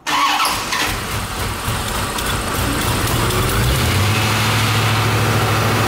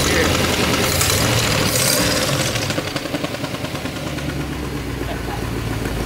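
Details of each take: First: C4 Corvette Chevy V8 start after headers installed and exhaust reconnected, fuel leaks checked: quick crank and catch, deep steady burble settling evenly, no ticks or misfires; sounds much better than open headers. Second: C4 Corvette Chevrolet V8 with new headers just fitted, not yet connected to exhaust: very loud raw crackly idle with sharp uneven pulses, unmuffled, like a demolition derby car.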